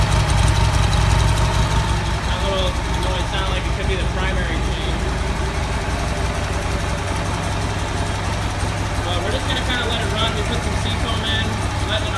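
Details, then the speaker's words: Buell XB12R V-twin just fired up on its first start after rebuild: slightly uneven, lumpy idle; roughness suspected from oil not yet reaching all lifters despite priming, not confirmed. "so if you watch the last couple of clips you'll notice that we start the bike for the very first time and it sounded a little rough for the first start"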